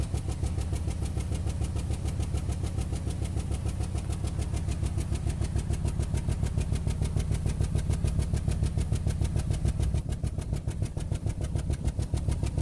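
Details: 2008 Nissan Rogue with check engine light and code P0300, rough idle, worse driving in low gear: fast regular clattering tick about two beats a second over low uneven idle; misfire suspected, cause unconfirmed.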